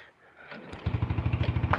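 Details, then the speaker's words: Yamaha Force motorcycle after clearing six stored fault codes: starter engages and lumbers through even compression pulses, labouring rather than spinning briskly, no firing; starter motor turns too slowly even though battery voltage is good. "Jadi muter dinamonya kurang banter tapi padahal tegangan bagus sih"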